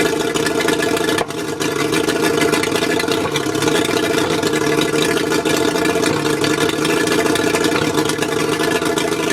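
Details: Mercury 135 outboard rough idle: lumpy beat, occasional stumbles and a brief dip in output, likely misfiring at low speed. Spark plugs suspected, not confirmed.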